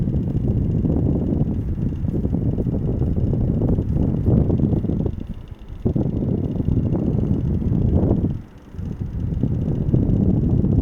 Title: rattling noise